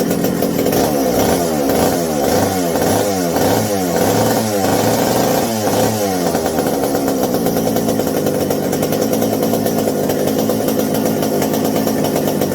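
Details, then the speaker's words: McCulloch 790 (MC101) chainsaw just fitted with new 090 carburetor, idle screws fully open: hunts up and down about twice a second in a burbling four-stroking rhythm, then rough high buzz; acts like over-fueling, not pulling at high speed. "Oh, it runs better, sort of, but man, it's got the the idle screws all the way open on this old girl, and it still acts like it's over fueling, like it's just too much for some reason."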